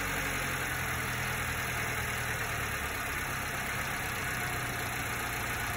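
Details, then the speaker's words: Warm 1990s Subaru Sambar KS4 idling just under 1000 RPM after idle mixture and idle speed adjustment by ear; even, steady idle with a smooth low drone and no misses or knocking. Normal idle. "down that sounds really nice and i'm going to"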